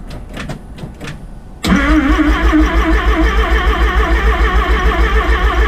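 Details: Rotary-engined van's first start after rebuild: quiet clatter, then the starter turns the engine over in a steady pulsing beat about three a second without firing; cause not confirmed.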